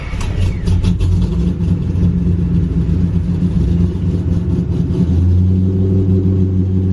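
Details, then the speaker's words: Cammed 3V Mustang (2005-10), 75,000 miles, custom tune, idle raised to 1040 rpm: deep uneven lumpy loping idle with slight rise in speed; cam chop slowly fading but still present, needing higher idle. "Chop is going away. It's slowly going away. There it is."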